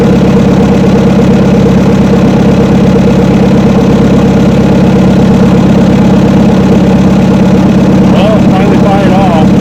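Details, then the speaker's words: 1972 Chevrolet C10 truck just caught after about 3 months unused, cold drizzly 40°F day: rough uneven running under a low drone, sounds fuel-starved; owner suspects water in the carburetor, needing carb teardown. "just all of a sudden it started to fire off and sounds like going to run out of fuel now though y it's carburetor troubles it must have got some water down in the carburetor"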